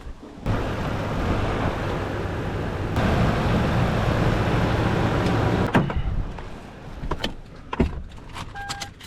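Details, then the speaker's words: 2011 Toyota Tundra 4.6L V8 that had a battery installed backwards, after the main fuse was replaced, while being jump-started: the starter cranks steadily for about five seconds but the engine never catches. It cranks but does not start. "that's not good still didn't start and I'm jumping it so I thought"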